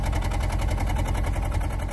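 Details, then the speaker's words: 2007 Honda Civic running very rough with a flashing check engine light, engine and tailpipe shaking; uneven lumpy idle with skipped beats breaking the exhaust pulse, power loss; misfire from a failing ignition coil on one cylinder. "another is hearing and feeling the engine running very rough you might even be able to see the engine shaking like this"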